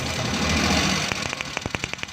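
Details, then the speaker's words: Suzuki Bolan (Euro, 2017 model) idles unevenly with a missing beat; pulling the number one plug lead leaves the engine unchanged, so cylinder one is dead, causing heavy misfire and poor pickup and revving. "ये इसका पहला नंबर वाला प्लग काम नहीं कर रहा, जिसकी वजह से गाड़ी पिक नहीं कर रही थी, रेस नहीं ले रही थी। तो गाड़ी बहुत ज़्यादा मिसिंग कर रही है।"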